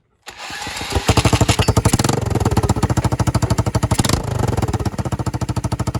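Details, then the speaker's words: Yamaha 225DX Tri-Moto three-wheeler being revived, kick-started with the throttle pulled out of the handle (cable too short, adjuster broken), still on old dirty oil: even, steady single-cylinder thump with no valve tap from the top end. Normal running. "Oh yeah. Again, no valve tap, none of that. No valve tap, even with the shitty oil that's in it."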